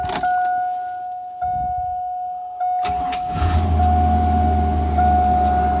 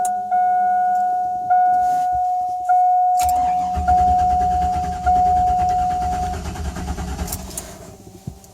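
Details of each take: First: 2000 Chevrolet Silverado 1500 Z71 after fuel pump replacement; warning chime beeps, engine cranks, catches quickly and settles into even low idle with a little knocking, normal start and idle. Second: 2000 Chevrolet Silverado 1500 Z71 V8 with a fresh battery and fuel pressure of only 12 psi against a 55–62 psi spec. The starter spins about four seconds; it fires but won't run. Crank no start due to a bad fuel pump.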